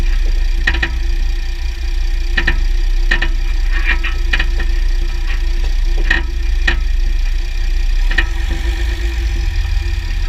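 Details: 2009 Jeep Grand Cherokee WK 3.0 CRD with Quadra-Trac II, GoPro on skid plate: sharp irregular clicks over heavy drivetrain and road rumble; driveshafts test OK, front diff bushes and transfer case oil changed; cause unknown.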